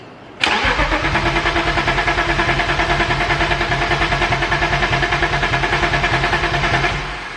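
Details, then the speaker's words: Starter spins the engine evenly for about six seconds without firing on a BMW E34 525 restored after a blower motor fire, first start attempt with an empty fuel system. "Okay, so obviously with no fuel in the system, it's gonna have to prime up. I'll give it a couple cranks. If it doesn't go, then I'm gonna swap those two sensors."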